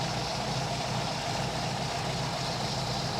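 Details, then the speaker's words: 1952 MG TD at idle after timing set to about 7° initial, 29° total, and carbs adjusted, idle targeted around 850–900 rpm; even steady low idle with no misses or knocks, sounds smooth. "at least adjusted the idle because when you change the timing it's going to change the idle but that sounds pretty good we'll take that for now"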